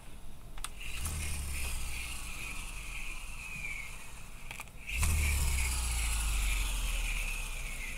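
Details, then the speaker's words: Shimano Exsence spinning reel, normal gear whine: clean high whine rising and falling with handle speed, no grinding; the higher-pitched sound is thought to be the fine-tooth-cut idler gears. "Pete me personally I think that that higher-pitched sound is the idler gears that I have a real fine tooth cut"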